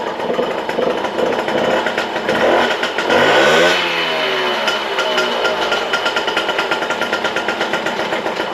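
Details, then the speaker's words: Small two-stroke 51 moped with a freshly rebuilt engine, on a test start with fairings refitted: the idle is uneven and wandering with a brief rev. The throttle cable is routed wrongly and its sheath is worn; rerouting and replacing the sheath should fix it. "Le ralenti est un peu instable parce que le câble de gaz passe pas au bon endroit."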